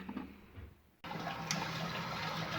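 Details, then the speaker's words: Geberit concealed cistern with a small leak into the pan from an old flush-valve rubber seal: sudden steady rush of water as the fill valve opens to top up the level lost through the leak. "So you can hear the water pumping out because a certain level has been lost and it's dropped down."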